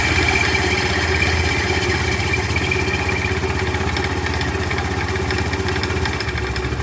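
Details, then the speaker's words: Honda Scoopy-i scooter idling after start with a loud busy rattling clatter from the CVT belt side; cause unknown before disassembly. "เนื่องจากว่ารถคันเนี่ยเมื่อสตาร์ทเครื่องแล้วเนี่ยมันจะมีเสียงดังนะครับผมสังเกตแล้วเนี่ยเสียงจะอยู่แถวๆพูดเลขหลังนะครับ"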